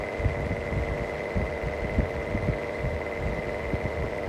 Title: Bad bearing mistral exhaust fan longer video